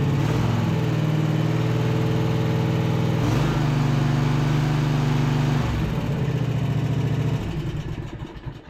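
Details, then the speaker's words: Husqvarna RZ5424 zero-turn mower, driving after fixing a hidden safety switch behind the brake arm (starter sounds terrible): petrol engine settles into a steady, even low run; hydros sound good, tracks straight. Normal running. "Hydro sound good so [Music] far seems to be tracking straight nice I'll call that a win right there"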